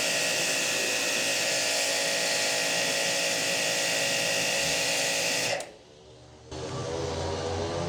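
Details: Hanabi JBD 8003 induction-motor pressure washer, 127V/110V, cleaning with the spare 25-degree nozzle after an ill-fitting nozzle was replaced: steady spray hiss over a smooth motor hum, brief trigger pause then clean resume; normal running.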